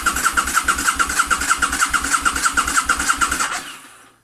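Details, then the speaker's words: Motorcycle project bike, after alarm removal and with fuel pump heard running: steady rapid cranking about three beats a second, never catching; turns over but won't start. "can hear the fuel pump running and we're getting nothing right back to the drawing board"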